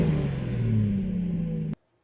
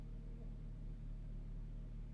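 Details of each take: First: 2015 Mazda CX-9 with the rear Y-pipe exhaust section removed, which had developed holes: a loud, deep, raw unmuffled engine drone at steady idle while running without the rear exhaust section and mufflers. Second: 2015 Mazda CX-9 at idle after replacing the holed rear Y-pipe exhaust section without welding: quiet, even low rumble, exhaust sealed with no puffing or ticking.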